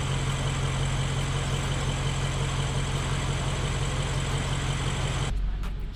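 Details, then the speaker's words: 2013 BMW 750i M Sport V8, rebuilt after a seized engine, idling after bad connections were sorted; a smooth, even, deep rumble with no misses or knocks, a healthy idle. "it runs very good. That makes me very happy."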